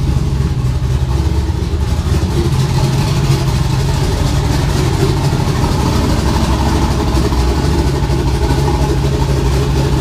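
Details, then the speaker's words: Twin-turbo LS build after swapping a no-name 2.5 bar MAP sensor for a genuine AC Delco one. Steady, even low idle with no stumble; running much better. "whoops it's running way better though I've got a little too aggressive with it"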